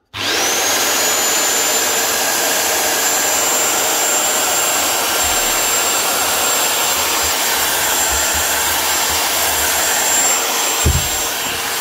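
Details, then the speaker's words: Rotabroach magnetic drill after replacing the worn-out needle bearings on the shaft: smooth, even high-pitched motor whine at steady speed, no rumble or rattle; now healthy and quiet. "Nice one. New bearings. Sounds a lot better."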